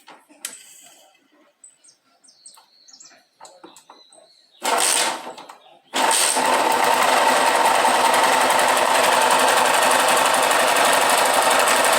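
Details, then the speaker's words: KSZ motorcycle, around 2002–2003, running with clutch cover opened and clutch removed: single settles into a dry, even rumble about four beats a second; noise persists, bearing must come out. Worn crankshaft bearing. "aí olha só como ela já ronca aí nós vamos ter que abrir tá porque esse rolamento aqui tem que tirar para lá mesmo"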